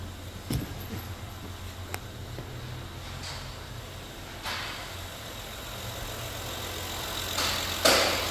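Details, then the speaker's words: 2015 Honda Odyssey 3.5 V6 (check engine light after cold starts), first start after valve adjustment, in neutral: a quiet, even idle with a steady low hum, no miss or tick, just a few stray clicks. Normal idle. "oh there you go sounds good nice and smooth I'm happy with that"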